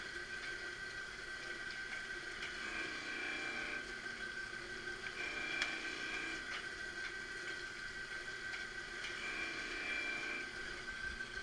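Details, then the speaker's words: Marunaka MG 500 straight knife grinder doing idle passes after rough grinding, carriage running back and forth without lowering the wheel; even unbroken whirr with steady high tones, normal idle pass. "once you finish you can do a few idle passes where you just run it back and forth without lowering decline in hand just to clean it up"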